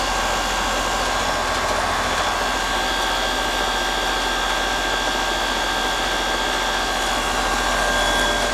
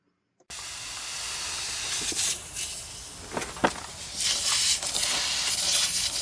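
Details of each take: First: Heat pump about 6 years old, after its rotted liquid line drier was replaced and moved outside, running in heat mode on a cold day with suction pressure about 60–61, slightly low: steady even fan rush with a faint constant whine. Normal running. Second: Heat pump out of refrigerant, charged with dry nitrogen: continuous high-pitched hiss of gas escaping under pressure at the rotted-out liquid line filter drier inside the condensing unit near the service valves; refrigerant leak, fixed by replacing and relocating the drier outside.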